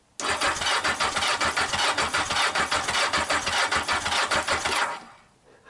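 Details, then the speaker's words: Yamaha XJ900S Diversion after new oil and filter, battery possibly low on charge: starter spins the engine briskly for about five seconds with quick, even pulses and no catching or grinding; normal healthy cranking. "I'm happy so far. Could you hear that? Does that not sound sweet or what?"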